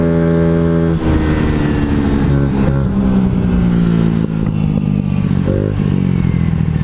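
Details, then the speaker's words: Honda Ruckus scooter after a valve adjustment and a tuning attempt: engine screams to high revs with throttle but won't settle into a pull; variator sliders suspected not sliding, so the belt isn't traveling. CVT over-revving, blocked variator sliders suspected. "I don't know if you just saw that but uh I am revving at it's like my sliders aren't sliding or something my belt isn't traveling what happened"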